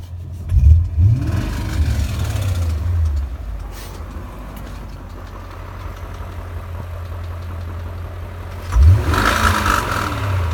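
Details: 2001 BMW E39 M5 V8 at 164,220 miles: deep, uneven knock under the idle rumble that flares when revved. Owner suspects connecting rod knock; not confirmed.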